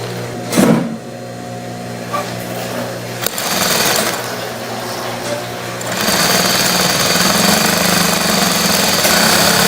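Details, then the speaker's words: Industrial straight stitch sewing machine test-sewing material after shuttle timing adjustment (hook tip 0.5 mm setting) and thread tension setup: short bursts then steady even rapid needle clatter, no knocks or catching; runs properly. "Once we have the machine adjusted, proceed to turn it on, place the material, and we will test the stitching."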